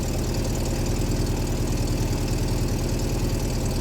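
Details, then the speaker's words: MGB at first start, choke pulled, cold: fires up, even low thrum at slightly raised choke idle with regular pulses, still wants choke, good oil pressure; normal cold idle. "Fired up pretty good. Definitely still wants to choke."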